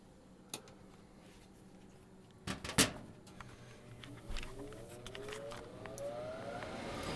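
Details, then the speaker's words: Brand-new Goodman gas furnace that kept failing to stay lit, after cleaning the flame sensor rod: a few quiet clicks, then blower whir rises smoothly and runs steadily without cutting out; normal startup. "So let me just turn the furnace on. See if she lights up."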